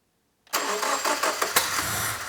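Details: Subaru with a freshly rebuilt STI EJ20 short block, first start attempt: starter cranks with an uneven churn for about two seconds, occasional puffs, never catches. Coils possibly backwards was suggested, unconfirmed.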